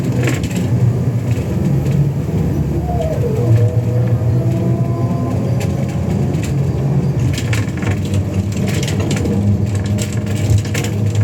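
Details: Scania K320UA bus in service: rumbling drive noise with occasional dull clunks and cracks from something loose or worn underneath; cause unknown.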